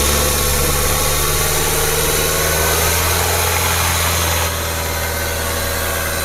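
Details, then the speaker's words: Nissan X-Trail T32 2.0 manual revved from 2,000 rpm upward: smooth steady note, no harsh compressor noise, alternator pulley not growling; engine normal. "Oke jadi dia 2.000 sampai dengan ke atas tidak ada tambahan kompresor juga tidak bunyi kasar Heeh puli alternatif juga tidak ngorok ya"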